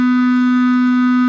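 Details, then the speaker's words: Toilet fill valve giving a steady mid-pitched hum on one note as a leaking flapper lets the tank level slowly drop, so the float sits just low enough to trickle water in; fix is a new flapper or flush valve. "it'll keep humming like that forever because this this float is just low enough to let a small amount of water in"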